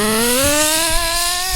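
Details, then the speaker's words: HPI Trophy Truggy RC nitro 3.5 engine, throttle punched after about 30 seconds ticking over: high buzz slow to pick up before the pitch climbs; hesitation first thought lean, then judged a rich bog that clears afterward. "Ah. Hesitation. I'll leave it up to you in the comments. Is that a lean hesitation or a rich hesitation?"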